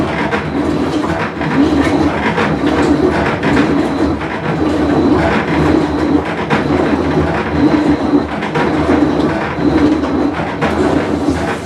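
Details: Whirlpool Cabrio washer on a full wash cycle: loud steady rumble and deep grinding drone with irregular clacks through the wash; worn tub bearing.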